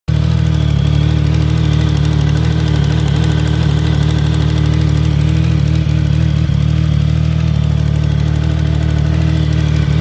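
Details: 2014 Triumph Speed Triple idling with a quick, light ticking over the low engine drone; exhaust leak from loose header bolts.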